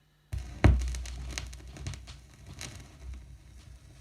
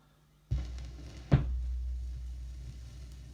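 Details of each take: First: Rod Stewart "Every Picture Tells a Story" vinyl before cleaning: irregular clicks and pops crackle over a low rumble. This surface noise from a dirty record persists subtly under the music and between tracks. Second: Cheap secondhand vinyl record after cleaning with a spray bottle, compared with its earlier noisy playback: needle-drop thump, then only a faint low hum with very little crackle or hiss; quiet playback.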